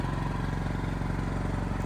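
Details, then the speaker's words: Backup generator carrying the whole building during monthly test after it shut down on the first start attempt for unknown reason; steady low drone with fast even pulse, no misses or knocks, normal running under load. "the building now is being ran completely on generator power see no problems in here"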